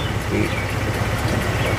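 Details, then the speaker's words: 2002 Acura RSX Type-S after idle air control valve delete, cold engine: slow, even low rumble near 520 rpm; AC on doesn't make it jump and it doesn't cut out, though idle sits low without the valve. "we're at like 520 right now motor hasn't warmed up [Music] yeah we cut your AC on doesn't make it jump around it's not cutting out though that's the good news usually when dips that low it'll cut off"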